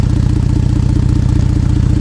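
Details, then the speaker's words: Ford Flex EcoBoost broken flex pipe, repair blown out after a 60-mile trip, idling at about 14°F air temp: loud, rapid, deep puffing chuff; exhaust leak at the flex pipe. "well as you can hear as you can see the repair that I tried to do right here didn't really work I took the flex on a 60 mile trip and obviously it blew everything out on me"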